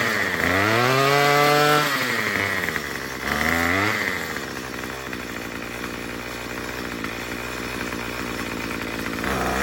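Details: Murray M2500 two-stroke string trimmer, long unused, after carb kit replacement and high-speed screw adjustment: buzzy engine revs twice to a high wail, then settles to a fast steady idle; runs cleanly and responds.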